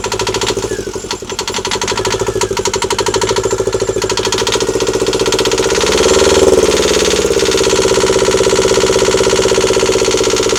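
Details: Newly installed Yanmar 2GM20F diesel in a Prout catamaran, cooling water drawn from a bucket: loud, crisp, evenly spaced exhaust chuffs at a steady idle with a slight lift and settle; runs clean with no knocking.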